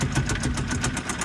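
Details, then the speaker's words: 2012 Kia Rio at tow auction, started with a jump: rough idle with a sharp, regular tapping knock several times a second over the engine note; very loud internal engine knock. "Very loud knocking engine on this one, folks."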